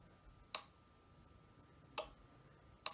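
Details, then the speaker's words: Ford 5.0 EFI harness on the bench, jumper between pins 21/22 and 20: three sharp, dry, unevenly spaced clicks over quiet background as the fuel pump relay pulls in correctly. "And so this was 22, so that's going to be, looking at it, it's going to be 21, 22. And you want to make sure you get it in the, and you'll hear the relay click."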